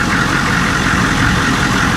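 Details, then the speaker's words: Humvee diesel bought at auction, idling cold after starting without a jump, with a badly worn belt; oil pressure 30 psi, temperature cold. A steady, even clatter with no misses or knocks; sounds healthy at idle. "I mean, it's sitting there running great. So, I was like, "Yeah, it runs great.""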